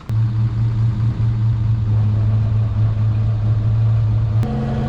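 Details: 1958 Rover P4 after brake work, during test after refitting part with washers: steady, even engine drone with constant low note, no knocks or misses; engine and gearbox smooth.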